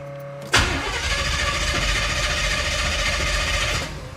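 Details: 1977 Chevy Monte Carlo, first start attempt after 20 years off the road, carburetor primed with fuel: starter churns steadily about three seconds without catching, then drops away; cranks but won't fire.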